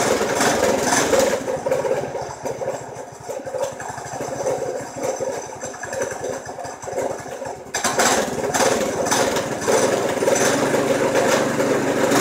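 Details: Predator 212 single-cylinder engine in golf cart build, first start after fuel tank plumbed and primed, makeshift exhaust; uneven popping about a hundred beats a minute, stumbling and surging instead of steady idle; carburetor issues.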